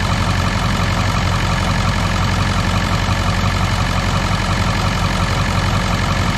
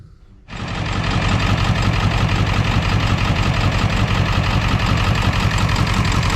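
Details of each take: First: 2001 Ford F-450 7.3 diesel after repair cleared injector low-side and IDM codes: even, steady idle clatter on all cylinders, volts charging, no miss or stumble; healthy idle after repair. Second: 2001 Ford F-450 7.3 diesel idling lumpy and loping on four cylinders (three dead passenger side, one driver side); codes P1316 IDM and P1271/P1274/P1275 high-to-low side open. It sounds the same with a swapped computer and IDM, so wiring or injectors are suspected.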